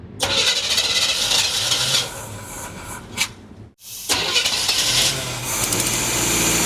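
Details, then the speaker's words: 1976 Chevy half-ton after a new fuel pump was fitted: starter cranks in repeated bursts but never catches; it runs only on poured-in gas, so they suspect a plugged carb inlet filter or stuck floats. "so either that fuel filter up on the carb is plugged or the floats are stuck because no matter how much gas we put in it and run it it'll run but as soon as it runs out of gas it quits"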